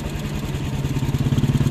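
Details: Yamaha NMAX scooter run low on engine oil, after partial repair without overhaul: steady low idle with a quick even pulse and faint rough edge; valve rocker arm bearing worn, engine still not fully smooth.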